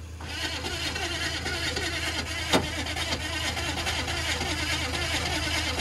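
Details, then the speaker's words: Big Detroit Diesel, sat over winter, cranking with ether sprayed in: continuous cranking with rough crunchy rattling over starter whir, one sharp bang midway, crunching starts when ether is sprayed, never catches; crank no-start. "as soon as you spray the ether in there that's when you hear all that crunching"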